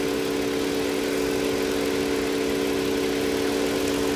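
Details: Toyota Avalon with engine misfire on cylinder two, traced to a carbon-fouled spark plug: after fixing, a steady even hum with a smooth low drone and no stumbles or skips; clean idle.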